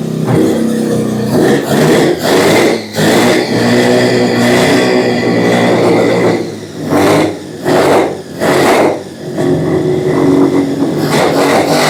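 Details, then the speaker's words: 12A rotary in a 1963 Austin Healey, running after splash of fuel, exhaust warm; owners wonder if fuel pressure too high: rough buzzy revving that surges and drops out, never settling to idle — rough running. "almost runs like my old snowmobile. This thing's gonna be wild."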